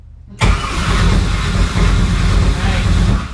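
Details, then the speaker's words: Porsche 944 with LS V8 swap, first start attempt after four years; no fuel pressure, it drains quickly after priming. A heavy low churn kicks in abruptly and holds without catching: crank, no start from lack of fuel pressure. "you have no fuel pressure right now ah it drains quickly doesn't it yeah it really does"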